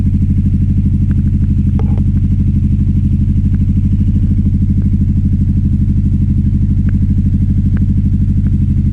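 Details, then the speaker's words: 2009 Aprilia Shiver SL750 V-twin, fuel tank previously full of sludge, no error messages: after about a minute running, the deep, lumpy idle hunts up and down instead of settling. Cleaning the upper throttle body did not fix it. "It's just jumping up and down. It seems to be happening about after a minute running."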